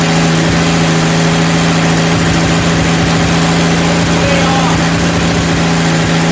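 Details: Rebuilt 230 six-cylinder at about 2000 rpm breaking in the cam, timing about 10° advance, 40 psi oil pressure, 180° temp, no smoke; steady even note, no top-end ticking; normal running, no lifter tick.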